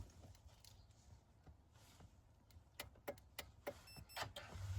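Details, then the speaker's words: 2008 Chevy Malibu LS, car not running, doors open: crisp evenly spaced turn signal clicks about one and a half per second, normally heard through the speaker when running; normal turn signal relay clicking. "Because normally the clicking noise comes from the speaker when the car's running."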